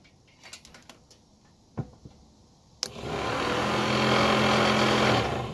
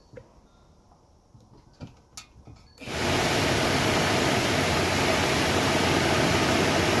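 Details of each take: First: First-gen F-body Camaro/Firebird replacement blower motor fitted in the original housing, wired directly to the battery positive: handling clicks, then a loud steady droning hum resonating through the entire car. Noisy blower motor, before swapping to an ACDelco unit. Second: New AC Delco blower motor for a 1969 Camaro/Firebird, bench-tested: it spins up to a smooth, steady rush of air for about four seconds, then winds down cleanly. It is much quieter than the old one.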